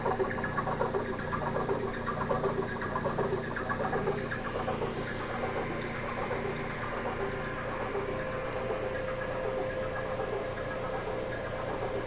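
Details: WEG SCA05 servo drive test run after repair: steady low motor hum with soft even ripple, no knocks, scraping or surging; normal running.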